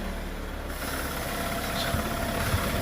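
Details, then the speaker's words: MK6 VW Golf 1.4 TSI turbo petrol, full service history, just after start-up: soft, even low hum with no knocks or ticks; a quiet, smooth idle. "just start up as you can hear it's so quiet so good"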